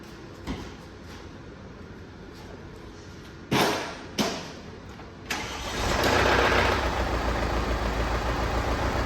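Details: Mercedes E250 engine with a seized piston: cranks, fires and idles roughly with the whole engine hunting; two short revs bring out a rough knocking clatter from the bottom end. Engine to be removed and overhauled.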